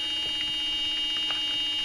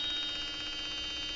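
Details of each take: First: 2002 Ford Super Duty Power Stroke diesel glow plug relay, contacts cleaned, about 11 volts on both solenoid terminals: steady electrical buzz with engine off, relay solenoid chattering while energized; suspected faulty relay, voltage dropping out. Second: 2002 Ford F250 Super Duty Powerstroke diesel in a warm shop, after a cold no-start: the glow plug relay reads about 11 volts on both sides and makes a steady high-pitched buzz with a faint pulsing flutter while energized.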